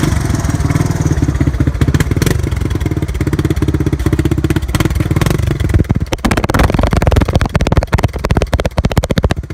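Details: 1985 Honda ATC 250 cold start in cold weather: the engine catches and runs rough and uneven with slow, irregular firing; its battery is a little weak. Hard cold start.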